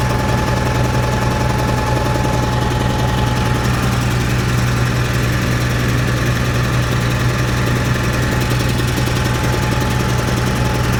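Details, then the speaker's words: Cat 3306 reported not carrying a load and sounding weird: low steady idle with an uneven, lumpy popping beat about once a second, one cylinder missing; pulling number six plug wire made no change. "I can I can hear it's it's missing right now sounds like it has a valve or something it's popping"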